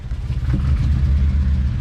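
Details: 2007 Honda Civic with P0302 cylinder 2 misfire code: uneven, lumpy, shaking idle with a low throbbing rumble that stumbles irregularly.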